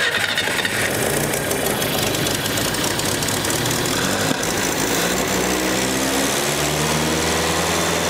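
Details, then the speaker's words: 1965 Datsun 320 pickup after 30+ years sitting, choked and somewhat flooded, gravity-fed fuel: catches and runs roughly for several seconds on a low drone, then dies. Suspected not enough gas to feed the pump. Starts then stalls. "ahead died on me it may not have enough there"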